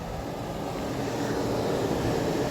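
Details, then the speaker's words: PTAC unit with the room at about 84°F and the thermostat set down to 60. The compressor kicks in with a steady, even low hum and rush, no knocking, rattling or cycling, so the compressor is running normally. "Oh, you heard it. I heard the compressors kicked in."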